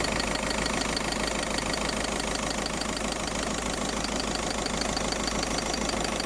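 Engine idling evenly under a constant airy hiss that never lets up. The source of the hiss isn't clear from listening alone.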